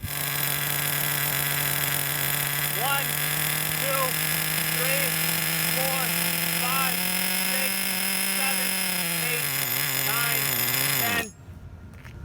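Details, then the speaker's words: Redcat Earthquake 3.5 nitro monster truck, .21 engine, pinch test: idles with fuel line pinched, rises slightly, sags and dies after about 10 seconds, meaning the low-speed needle is extremely rich; plan is to lean it clockwise a quarter turn. "right guys saw that I held the fuel line pinched and it literally ran for 10 seconds that means our low speed needle is extremely rich"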